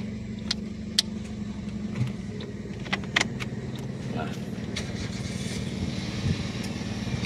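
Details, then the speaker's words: 2008 Toyota Yaris E manual: steady, even idle with a low smooth hum, no dip or labouring when the AC is switched on, as if no load at all; engine knock sound very normal; AC very cold; normal idle with AC on. "seperti tidak ada beban sama sekali untuk dinyalakan AC-nya."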